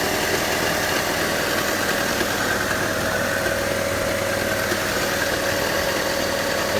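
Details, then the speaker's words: Car whose owner added water to the engine oil after overheating, idling toward operating temperature with good oil pressure; an odd faint whirring squeal rides over the idle, suspected pulley or belt. "a pulley. Sounds like a pulley. Or a belt."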